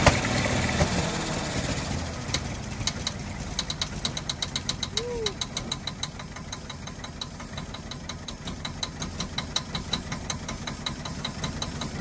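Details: 1948 Ford F-5 ex-ice truck, first run after about 45 years sitting: sharp, fairly regular ticking about 160 a minute over a rough idle. Owner believes the number six lifter catches on its spring and pops back, not a knock.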